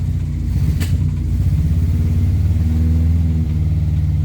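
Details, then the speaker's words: Morris Minor 4-door after new ignition barrel, with choke: low lumpy uneven beat as revs rise and settle; runs rough, missing, owner suspects points and plugs; ignition light on from stuck regulator. "Something's not quite right with it, but the ignition light's on because the regulator's stuck. But it does run."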